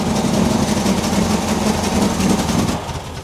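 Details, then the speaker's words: Yellow Mercedes W123 petrol engine idling with uneven chuffing beat and smoke from the top; not so much missing as exhaust puffing after the manifold, cause unconfirmed; uneven puffing at idle. "not so much it's missing more like it's um uh exhaust is puffing after the manifold"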